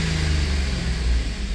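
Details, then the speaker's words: Chevy 5.3 V8 after DOD/AFM delete with new lifters, guides and cam, reflashed with deactivation codes disabled, good oil pressure: deep even rumble through the rev with no ticking; the earlier tapping is gone. "doesn't sound too bad now whole lot better than that Tippy tap tap that was going on"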